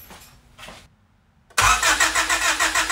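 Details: Honda Civic EK with swapped D16A engine, after grounds were checked and moved to the frame rail: starter cranks with an even chug about three beats per second but never catches; faulty distributor prevents firing.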